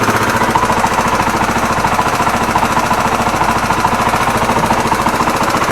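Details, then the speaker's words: Yamaha TW200 single at idle after starter rebuilt; dull steady knock about three to four beats a second, attributed to worn crankshaft main bearings, plus a change with clutch pulled blamed on worn clutch basket; worn crankshaft main bearings. "это глухой стук обусловлен тем что просто жены и коренные подшипники коленвала плюс при выжиме сцепления это уже износ корзина сцепления"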